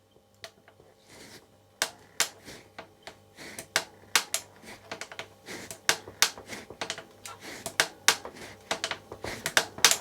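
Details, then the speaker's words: Trek Rail 9 e-bike with pedalling load simulated by hand on the seat tube and rear wheel: sharp dry cracks, two or three a second, from the frame; a creak under load, with the rear pivot suspected. "so i'm sure you heard that um creaking noise i've tried to uh replicate the sound uh with my hand on this off on the seat post on on the back wheel to replicate the pedaling motion"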